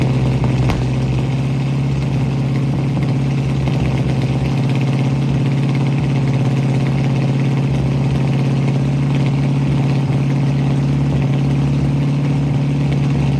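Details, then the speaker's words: 1967 Ford Mustang V8 running again after new fuel sending unit, fuel lines blown clear and carburetor needle-and-seat fuel supply fix: steady, even idle burble with no misses, stumbles or surging; normal idle. "it's running again. So, last thing I explained to you guys was that the car needed a sending unit put in."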